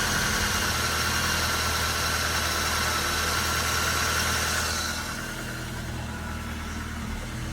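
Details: Nissan Frontier on first startup after alternator belt replacement, following a startup squeak and grease-coated belts that were washed: even idle with a smooth, regular beat and no belt squeal or chirp, settling quieter after a few seconds; healthy.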